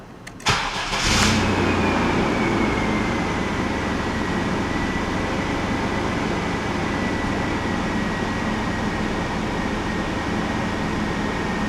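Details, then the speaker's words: 1998 Chevrolet S10 Vortec 4.3 V6 after intake gasket replacement, first start after refilling coolant: cranks briefly, catches cleanly and settles into steady even idle with no misses or knocks; normal start. "it up good well she started up fight it up real good"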